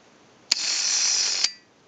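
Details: AE candlestick telephone rotary dial with contacts not yet fitted: about one second of even, high-pitched ratcheting on return, with steady speed and a clean stop. It works properly; no ratchet sound would mean a missing or misinstalled key or a bad spring.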